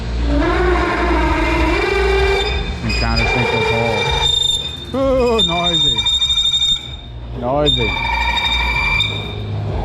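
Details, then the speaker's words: Bed mill countersinking/drilling hub hole pattern: loud shrill wavering squeal, tool chatter caused mainly by the overly long tool; spindle speed to be reduced. "Most of that noise, oh, that's brutal. Higher than years. Most of that noise has come from the fact that tool is so long."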